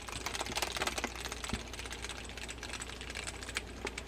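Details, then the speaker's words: Daiwa Lexa 300HL baitcasting reel with the drag fully tightened, never opened by the owner. Cranking gives rough, fast rasping and clicking grinding, caused by dirt and grit in the gearing. "This reel was dropped off in my shop. Sounds like something is seriously wrong with this."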